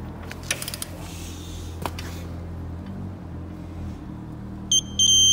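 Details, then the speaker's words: Digital torque wrench (Sealey) tightening bottom crank bolt to 50 Nm during timing chain replacement on R56 Mini Cooper N12/N14/N16/N18 engine: ratcheting, then short run of sharp high beeps at set torque. "I've already set one of the memories to the bottom crank setting which is 50 Newton meters which is there want to get the idle beep"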